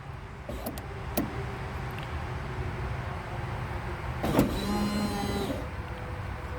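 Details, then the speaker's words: Junkyard 2001 Honda Prelude (5th gen) window regulator motor bench-tested by tapping its stripped wires to a cordless drill battery: short bursts of smooth electric whir with clean rising hum, no grinding or clicking, motor works fine. "that's how you get it get it going that's how you know it's good"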